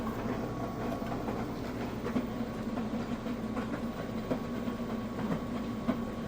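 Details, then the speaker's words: Refurbished Kenmore front-load washer on a normal cycle with a super high spin setting, filling and tumbling a test load: soft rushing water under a steady hum, with irregular soft thumps as the wet load drops. Normal operation. "fully saturated of course these clothes agitate by them falling on themselves which in my opinion is one of the best ways to get the clothes clean"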